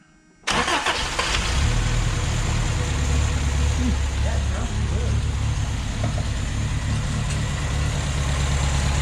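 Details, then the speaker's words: 1979 Honda Accord 1.8 CVCC 5-speed, fuel primed, starts. Quick catch after a short crank, then a steady idle that settles right away; it filled with fuel fast and started normally. "i mean that's about how it started up it filled with fuel pretty fast and started up"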